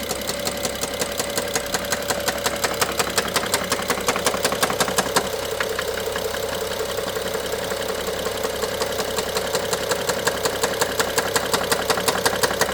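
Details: BMW F07 N55 engine at idle: steady metallic ticking just under three per second, loudest by the stethoscope at cylinder 1 injector and the mid-top electrical connector; worse with more throttle, sometimes stops briefly; timing chain inspected, looks OK.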